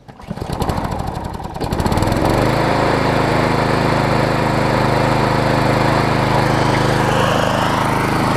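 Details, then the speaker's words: Troy-Bilt push mower, Briggs 5hp Quantum, after cleaning the main carb jet, restarted after washing: pull-start sputter catches, then steady even buzz holding speed; no longer surging, though it won't idle down. "so you can see it's not really surging anymore either say it doesn't want to idle down"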